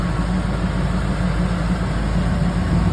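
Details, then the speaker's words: Classic Pontiac Firebird Trans Am V8, next day after fitting an auxiliary electric pusher fan, running with fan on: deep even idle, steady low beat, no misses; fan barely audible over engine. "it's the next day uh and this is car running with the fan"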